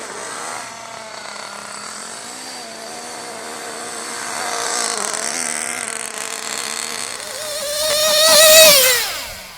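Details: Nitro RC engine on tank 4 of break-in, running rich/lean with a high buzzing pitch that wavers and climbs sharply: surging at high revs. Owner suspects a slipping clutch, poor fuel, fuel delivery, a bad glow plug or an air leak; sealing not planned.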